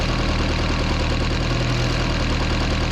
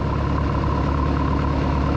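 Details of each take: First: 1976 Mercruiser 120hp in a Mark Twain boat, tune-up at idle with valve cover off: even idle with light quick ticking about three a second as a rocker is backed off; excessive valve lash before adjusting hydraulic lifter a quarter turn at a time. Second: 1976 Mark Twain boat with a 120hp Mercruiser, once-seized engine, after an oil change with water flowing and before valve adjustment: soft, even idle with a steady low hum and no ticks or knocks, running smooth and quiet.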